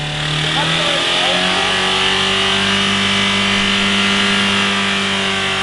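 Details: Mitsubishi Carisma diesel after the service tech accidentally overfilled it with several litres too much oil: the engine screams at a sustained high rev, pitch creeping upward on its own with no letting off, a diesel runaway on its oil.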